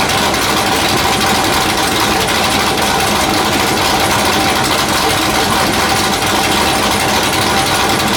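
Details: Factory Five Mark 4 Roadster build engine on the run stand, last firing before removal and install into the chassis: even steady run, loud raspy exhaust, no knocks or misses; runs great; normal running.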